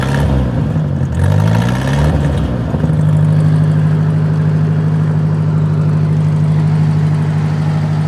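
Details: 1953 Ford NAA tractor, converted to 12 V, sat a few days, cold start without choke after a 41°F morning (mid-50s now) in California: cranks, catches and settles into a steady, even idle hum with no misses; healthy cold start.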